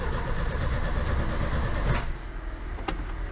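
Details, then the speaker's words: 1980 VW Gol left in a garage for 10 years, first start attempt: the starter cranks at about four pulses a second for two seconds with no firing. It won't start because there is no petrol. "e não tem gasolina pessoal então não vai pegar tá"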